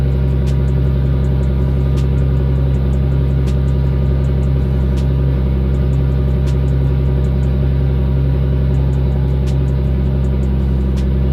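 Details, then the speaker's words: RB25 Neo engine after closing the throttle plate to fix the high idle: low, even idle rumble with faint light ticking and no hunting. Owner later hears possible knocking, unsure whether it is just untuned. Normal idle. "Alright, so I closed it a lot in comparison to where it just was. That might have been it. So I'm gonna try to start it and see if it idles better now."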